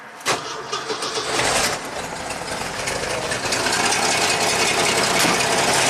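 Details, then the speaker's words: 1985 Jeep CJ-7 Renegade with Holley Sniper EFI and electronic ignition, after engine work: idle stays steady and never dies after key-off, running at 14.26 V; 5.5 V remains on the ignition terminal. Engine run-on after key-off. "so now let's shut it off stays running look at that there's a gy that's way if you measure the voltage on here 5.5 Vol off"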